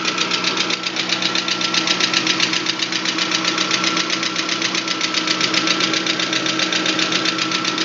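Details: VAZ 21124 engine: steady idle with a sharp, regular knock about four per second over the engine note; engine knocking at idle, origin unknown, adjustment suggested.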